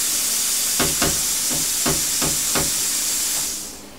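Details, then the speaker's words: Cheap Chinese plasma cutter torch after reseating the loose switch plug: harsh air hiss cuts in and out in short stuttering bursts, then dies; arc won't hold. Owner suspects the torch trigger switch; intermittent arc cut-out. "stopped there you go stopped again see it's not doing bugger all so my theory is it's got to be the switch"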